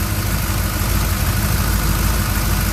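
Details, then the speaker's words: 1967 Chevrolet C10 pickup V8 at first start after camshaft and lifter change with fresh oil and Wix filter: deep even rumble at raised idle, no tapping or miss, good oil pressure, some smoke during break-in. "okay guys it's running I got good old pressure"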